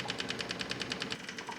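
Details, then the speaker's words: Kubota MX5200 HST tractor after fuel filter and water separator service: key on, engine off; quick, light, high-pitched ticking, about ten a second, as the electric fuel pump runs steadily purging air from the system. "so we'll turn the key switch on leave it on for a minute now we can hear the fuel pump running so you're all full up there"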